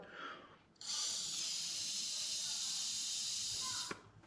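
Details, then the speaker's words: Solex moped fuel line, unblocked, blown through: steady even hiss of air passing for about three seconds; suction blocked by the check ball; fuel circuit clear. "Et si vous entendez, l'air il sort. Par contre, si j'aspire, ça marche pas. Parce qu'il y a la bille."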